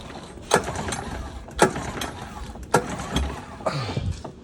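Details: Used Honda 9.9 outboard, primed, choked, in neutral, lanyard in: four rope pulls, each a brief rattling spin with no firing; cranks but won't start, no spark until the coil is removed and refitted. Cause unknown.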